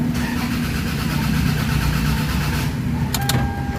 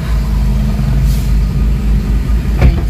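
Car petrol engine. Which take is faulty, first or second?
first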